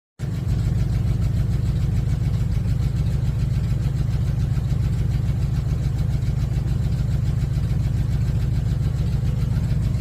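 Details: Dodge D150 with 318 V8 at steady idle, with a fast light tick following engine speed, suspected lifter tick, not confirmed.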